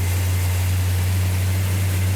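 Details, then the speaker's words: 1972 Plymouth Duster 340 V8 at its first start after the build, with a deep, even rumble and steady beat, no knocks, misses or ticks; a healthy, smooth idle. "like that justin sounds healthy what sounds healthy what oh it sounds good yeah fantastic"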